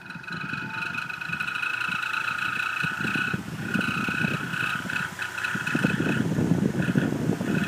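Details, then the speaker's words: High-velocity bathroom fan, about 5 months old, never oiled or greased, screeches loudly on startup; piercing intermittent squeal from dry bearings going bad, owner hopes oil or grease will save it. "so did you hear it that was the squeaking sound of the bearings going bad I think this fan is just about ready to die but hopefully we can save it if we put some oil or grease"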